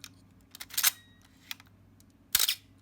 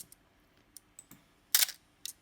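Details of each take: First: Canon A-1 35mm film camera after lubricating the mirror damper gear: sharp shutter release clicks at 1/4, 1/8 and 1/15 second, the first trailed by a thin high squeak as the mirror settles; squeak persists, dry mirror damper gear. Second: Canon A-1 35mm film camera, a few days after lubricating the shutter squeak and resting upside down, no further lubricant: crisp clean shutter snap among light handling clicks, no squeak or drag; normal shutter release.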